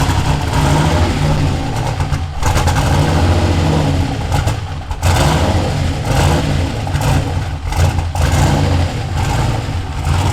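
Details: Ford F100 with swapped turbo LS1 V8 on its first start: revs surge and dip unevenly with a lumpy, stumbling note instead of a clean pull. It runs rough; the owner suspects a vacuum leak or tuning, unconfirmed.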